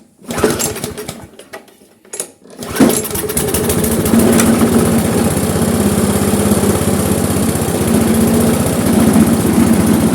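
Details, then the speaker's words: Briggs & Stratton Classic carburettor lawnmower engine, no longer stalls: after a few pulls settles into steady, subdued run that never gains revs; low rpm from slack, stretched governor spring. "Et là, quand je vois ça là, quand je vois les ressorts qui sont tout détendus là, je me dis, d'ailleurs un problème de ressort."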